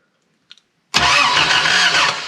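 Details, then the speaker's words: Toyota KE70 Corolla cranking: starter spins the engine steadily for over a second but it never catches; spark is confirmed present. "so mike meant to fire it up and uh it's just not starting"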